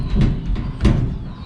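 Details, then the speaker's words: 1964 Chevrolet Corvair Corvan van, very solid body: door closes with a solid, dull thud that dies out cleanly, no rattles or loose-panel buzz; normal door shut. "Very, very solid van. Hear how that door shuts?"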